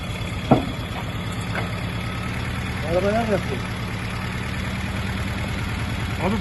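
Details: 1979 Murat 131 (Fiat 131) petrol car, recently bought, brought in for a misfire complaint: the engine idles with a low, lumpy throb. The mechanic says the engine needs rebuilding.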